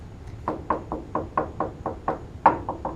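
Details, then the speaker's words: Pontiac muscle truck project: knuckle taps along the rocker panel sound dull and hollow in one area and firmer further along. Body filler (Bondo) is suspected under the rocker panel. "How it's hollow there? And it gets a little less hollow over here. There's Bondo work on that rocker."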